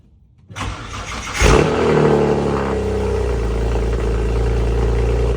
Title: N54 sounds like it’s misfiring on cold start